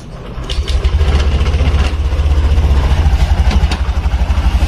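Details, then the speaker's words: Reassembled Honda Beat 2021 scooter engine, started after a full rebuild and a software reset, settles into a steady, even putter at idle with no misses or knocks; normal idle. "Oke teman-teman karena teman-teman videonya cukup tambahin di sini ini proses perakitan dari awal sampai menyala kayak gini ya"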